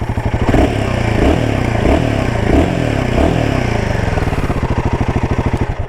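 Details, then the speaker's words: Royal Enfield Himalayan 450 single-cylinder thumping through quick throttle blips, with light, fast tappet ticking audible over the idle. "And also you can hear the tappet noise on this motorcycle. So the tappet noise is there."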